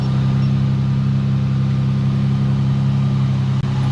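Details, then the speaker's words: Nissan 350z at idle after suspension and alignment adjustments: steady, smooth low hum with even pulse and no ticks or misses; sounds healthy, though owner unsure it truly runs healthy. "She running super healthy. Well, she sounds healthy. I don't know if she is running healthy. She sounds good though."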